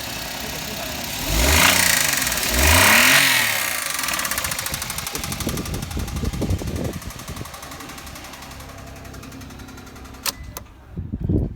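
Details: Engine revving with a hard, uneven knock that rises with speed and lingers toward idle, before trying Motor Up oil additive; suspected blown engine or worn bottom end, not confirmed.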